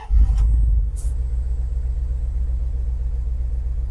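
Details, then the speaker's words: 1993 Dodge D250, 318 V8 with 3-speed automatic overdrive, just started on a weak battery: low rumbling idle with uneven stumbling pulses, a lumpy misfire-like beat. Owner attributes roughness to two damaged spark plugs and the plug wires. "I mean, she runs good. A little rough from the 2 spark plugs that are all jacked up and the spark plug wires."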